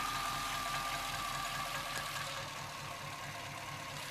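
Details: Chevrolet C-1500 Scottsdale 350 TBI V8 idling unevenly with a loping beat and faint irregular tick over a steady hum; it sometimes idles so low it dies, and the cause is still unknown after many attempted fixes.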